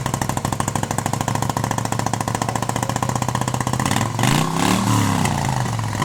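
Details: 1971 Moto Guzzi Ambassador V-twin, 4-speed, under full restoration with changed crank and new rings, first fire-up: even rhythmic putter at idle, then clean rise in revs around four seconds, no rattle; tight healthy motor, normal idle and rev.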